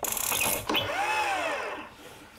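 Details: Almost new Stihl BR450C two-stroke leaf blower with electric start and pull cord; one cord pull spins the engine briefly, it winds down without firing. Cranks but won't start; cause not yet confirmed.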